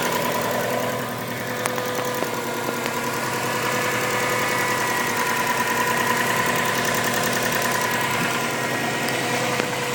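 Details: 2002 Subaru Impreza WRX idling: light, fairly regular ticking from under the hood, heard on both sides, seemingly internal; cause unknown.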